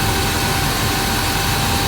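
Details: 1987 Dodge Power Ram 50 4x4, 2.6L Mitsubishi with factory Mikuni carburetor, 100,000 miles, dead-cold start after sitting days. Smooth, even roar at cold fast idle with strong heavy-duty fan clutch rush, no ticking or knocking; healthy.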